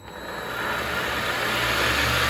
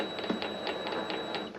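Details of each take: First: Vevor MX400 mini lathe, no grease yet, after reinstalling the modified tension pulley: spins up to 1100 RPM (rated 1250) with a smooth, even whine and coasts down cleanly, no knocking or grinding. Normal. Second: Vevor MX400 mini lathe with redesigned tension pulley mount and cover fitted, running at slow speed: faint irregular ticking and light clunks as the chuck turns, from its adjustment screws dropping as they rotate.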